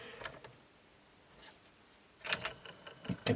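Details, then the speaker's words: 1998 Sony TC-WE305 dual cassette deck, about 25 years old: irregular clicks and clunks as the mechanism runs. One belt is lumpy and sloppy, the other slips when touched, and it likely needs new belts. "And that one actually seems to run. Although as soon as I touch that, you can hear the belt slipping or something. So maybe it just needs new belts."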